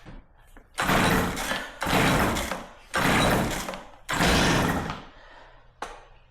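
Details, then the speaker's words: Warm Stihl MS 270C chainsaw after fixing bogging when hot, on ethanol-free premium 50:1 fuel: four strong cutting bursts with the engine holding revs, no bogging or cutting out, normal running under load. "there we go guys not once that it bogged down or cut off on me"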